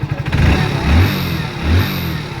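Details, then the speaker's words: Hero Splendor Plus BS6 motorcycle after engine oil change, engine previously making heavy rattling noise: clean throttle blips rising and falling smoothly, no chain rattle or clatter between revs; noise now fixed, normal revving. "आवाज इसका सही हो गया पहले बहुत ज्यादा झंझट की आवाज थी दोस्तों"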